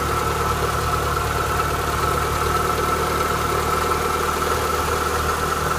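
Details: Renault Clio 182 cold start idle: thin, steady whine over the idle that does not change pitch, from a worn-out water pump.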